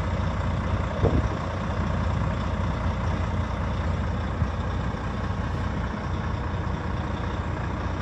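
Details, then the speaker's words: 2013 Volvo FM 480 tractor unit, heard from the cab; no oil leaks on the engine. Deep, steady diesel idle with an even low beat, no knocks or misses; the engine runs smoothly. "Как вы слышите, двигатель работает ровно."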